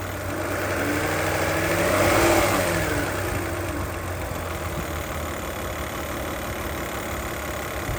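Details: 2008 Toyota Highlander 3.5L V6 2GR-FE with a loud, rapid ticking, about three to four a second, at idle that only occurs once the engine is warmed up; the source is unknown.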